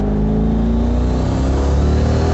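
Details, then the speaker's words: Turbo Corvette after the boost leak was fixed: a short pull in third gear with a strong engine note and a clean turbo whir. Boost is restored from the earlier 5.9–6 psi. "Finally, got my boost back. So that's just a really short pull in third gear. You know, that's just a real quick rip."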